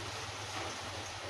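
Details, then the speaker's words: Profan electric fan on 220 V mains, speed switch at 0, winding coil cut and rejoined: low, steady hum with no blade whoosh; motor tries to turn but is too weak to spin, so the coil must be dismantled. "Mau muter lo tadi. Gak kuat muter dia. Ini nomor 0. Ini berdengung"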